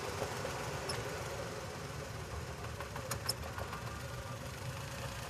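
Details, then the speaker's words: New Wagon R petrol engine with blinking check engine light: an uneven, lumpy idle with an irregular low thump, a misfire from the dead cylinder 1 caused by a failed ignition coil. "देखते है कौन सी coil इसके काम नहीं कर रही है एक नंबर ही काम नहीं कर रहा"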